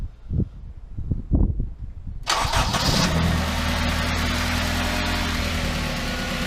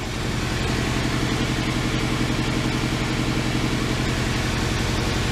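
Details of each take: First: Honda Civic EP3 Type R running very badly, running on temporary wiring for ECU injector signals after swapping injectors: few slow cranking pulses, then fires and holds steady, smooth idle with even low hum; runs fine. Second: Honda Civic EP3 Type R running very badly: steady idle with an uneven, stumbling beat and a regular dip. The misfire persists after swapping injectors 1 and 2, with the number one coil unplugged; the cause is still being diagnosed.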